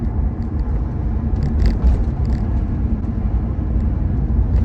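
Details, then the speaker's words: Volvo 245 estate with 3UZ V8 and newly fitted Eaton TVS1900 supercharger on ELATE intercooled manifold, new ECU, first running-in drive at gentle cruise: deep even V8 rumble with barely any supercharger whine, running healthy. "Well, she's driving. Nothing's fallen off yet. Let's just take it easy. Sounds like it used to. Can't hear much Supercharger whine."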